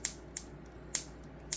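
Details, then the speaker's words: Unoptimized cap-dump circuit (high-voltage module, neon as switch) pulsing into a battery, about 1.3–1.4 W draw, inverter off: crisp snaps roughly every half second; discharge output works, but battery charges very slowly and inverter drains it; normal discharge clicks. "from my experience with just this rough setup I have like nothing's optimized yet but uh as you see we're just like spanking the battery with power from that cap dump circuit"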